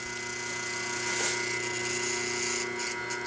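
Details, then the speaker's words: 1976 General Electric Q174461 motor for a three-belt White Westinghouse front-load washer, 1/2 hp, 1725 rpm, 115 V, running on the bench: steady hum with a light, fast metallic buzz from a loose spring chattering on the motor. "What's chattering here is this piece of metal over here, which is a spring."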